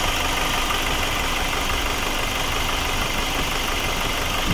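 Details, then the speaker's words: Nissan X-Trail 2.2 dCi 136 hp diesel, chain-driven, 6-speed manual, 4x4, idling with the bonnet open: steady, even hum with no knocks, misses or rattles, engine audibly running evenly and normally. "és a fékolaj szint is teljesen rendben van, a motorja pedig hallhatóan egyenletesen, normálisan"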